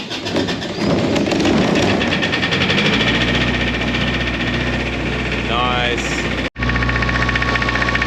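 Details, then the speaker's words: Diesel engine, 24-volt system, cold start after preheat on a chilly night: uneven, lumpy chugging beat under steady clatter, sounding flaky; owner suspects it just needs to warm up. "Just sounding a little bit flaky. But she probably just needs to warm up a little bit."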